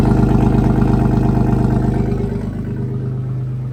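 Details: BMW E36 318i converted from four-cylinder to an M50 swap, first start with the exhaust not yet hung properly: it starts right up and settles into a steady, even idle with no knocking, only a slightly loud exhaust note.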